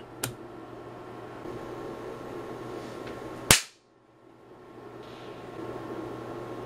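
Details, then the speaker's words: Hioki DT4252 multimeter with gas discharge tube front-end protection, transient tested to failure, battery pack removed: sharp dry snaps over a steady hum as something inside arcs on every transient applied; meter still fully functional; high-voltage arcing breakdown. "something is definitely breaking down you can hear it arcing it's done it for every transient that I've applied"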